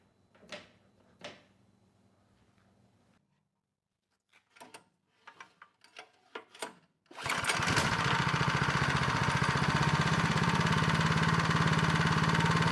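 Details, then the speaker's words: Neglected Craftsman snow blower, model 247.889571, after repairs, restarted with the belt cover back on: a few handling clicks, then a steady, even beat; the earlier scraping noise is gone and it runs quietly. "well it ran pretty quiet this time with the cover"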